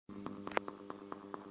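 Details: Subwoofer amplifier still sending sound to the speaker: sharp pops land roughly every fifth of a second over a steady low amplifier hum; cause of the popping unclear.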